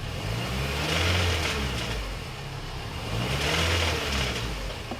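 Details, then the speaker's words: 2006 Mini One R50 Tritec petrol, after timing chain replacement: quiet with clutch pedal down, loose uneven metallic rattle with clutch released during throttle blips; owner suspects a failed clutch release bearing. "So when the clutch is down, it's quiet. Everything sounds okay. There it is. That sounds pretty bad. Would a release bearing sound that bad?"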